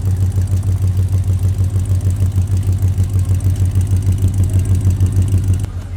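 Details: The LS V8 swapped into an HT Holden station wagon, at its first runs after fitting: a low, steady, slightly lumpy idle at about three pulses a second. It sounds smooth and healthy, with no faults heard. Transmission cooler oil leaks were noted.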